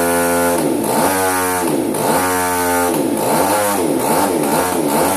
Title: Hobbyking RCGF 30 twin misfiring: faulty ignition